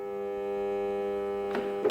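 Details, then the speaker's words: Mixer grinder over 15 years old, after resetting built-in breaker: steady low hum with no run-up, motor stuck, then clicks as breaker trips again; stalled motor from faulty rotor. "Look, now it has been stuck. The breaker blown again."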